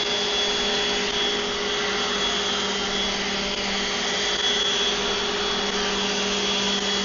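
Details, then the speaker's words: Old DeWalt random orbital sander, baseline pass on wood; it sits balanced and pushes with two fingers. Steady high-pitched whir with constant tone, no wobble or rattle, running cleanly at full speed; normal running. "And so the fact that this thing runs and just sits balanced, and I can just push it around with a finger or two, and I can grab it, with my whole hand if I want, and just easily move that."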